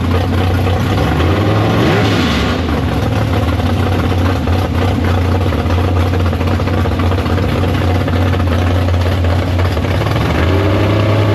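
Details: Big block Chevy V8 in the Farm Fresh gasser, first start after sitting, 750 carb, downjetted; deep, loping idle staying even after one quick throttle blip early on, up to temperature, no leaks. Normal idle.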